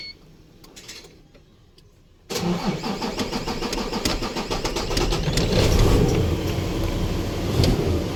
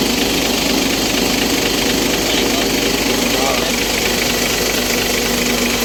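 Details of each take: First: Isuzu truck with 6WF1 CRDi diesel: a couple of seconds of weak, low cranking, then the engine catches abruptly and settles into a rough idle; hard, reluctant start. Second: Isuzu truck, 6WF1 CRDi diesel, with a hard-starting complaint; once running, it idles loud and steady with an even clatter around two beats a second and no stumbling.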